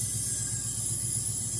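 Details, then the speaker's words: Ford Fairlane idling about half an hour after a mechanical fan reinstall, temperature up to about 195 and still creeping; low, even idle pulse with faint fan hiss, no weird noises or radiator hissing, normal idle, highway test still pending. "I don't see any problems. There's nothing happening with it. It's not making noise, weird noises. Radiator's it's not like hissing or anything."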